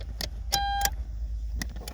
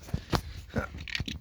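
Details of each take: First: 2008 Toyota Avensis dual-zone climate control after repairing the driver-side (left) temperature actuator stepper motor, ignition on: a few clicks then steady low fan hum, no more crackling from the actuator. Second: 2008 Toyota Avensis, dual-zone climate control: irregular dry crackling clicks from the driver's-side (left) heater box when the temperature is adjusted, from the failed left temperature actuator/stepper motor with gear teeth skipping.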